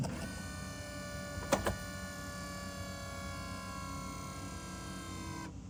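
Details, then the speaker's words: BMW E60/E63 M5/M6 SMG hydraulic pump during INPA bleeding procedure: even, steady electric pump whine with crisp clicks as gears switch; pump working normally, unlike the previous faulty pump. "So that's a good noise. We didn't hear that when our other SMG pump was messing up."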